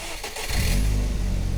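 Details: Ford Focus Mk1 or MG ZR, one that had broken down, at the roadside in France after a roadside repair: cranks briefly, catches cleanly and settles into a steady, even low idle with no squeal or knock; battery warning gone, healthy start.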